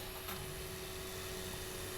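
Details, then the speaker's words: eMachines T1090 desktop (Intel Celeron Coppermine 900 MHz), camera held right up to the CPU fan: loud, steady high-pitched whine over airy rush at constant pitch; CPU fan so noisy the owner retired the PC as a server. "I mean, it was to the point where I had to stop using this computer as a server because I couldn't sleep at night. It's just such it's such a high pitch, and I don't know, it just got on my nerves."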